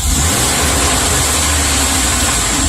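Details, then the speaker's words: Chevy Express V8, about 330,000 miles, number 1 cylinder walls scored and leaking compression, after ring-freeing additive treatment, PCM still logs occasional misfires; smooth, even rev with faint regular purge valve tick, no bottom end noise; normal rev. "the Revit it sounds sounds fine there's no bottom end noise or anything"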